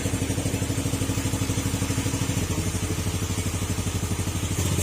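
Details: Old Yamaha Sporty motorcycle after engine overhaul, airbox refitted, exhaust pipe has a hole: steady even low putter at about three pulses a second, no clatter or knock, before cutting off. Normal idle.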